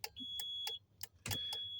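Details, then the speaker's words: 2005 Kenworth T800 after replacing a flasher relay ruined by water: the new relay ticks crisply and evenly, about three a second, with a faint chime; hazards and turn signals now working normally. "so long story short you know obviously you should hear that uh that relay ticking like it does right"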